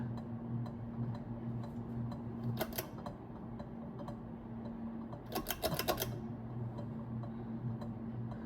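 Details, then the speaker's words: Early-1980s Carroway 52-inch ceiling fan, model EF100, 120 V, at medium speed (about 59 W, 0.62 A): low steady motor hum with scattered sharp ticks and a short clicking burst, likely from the canopy rubbing the electrical box. "It wasn't for that clicking sound, this would be pretty quiet. That clicking noise really wouldn't be in a normal use case."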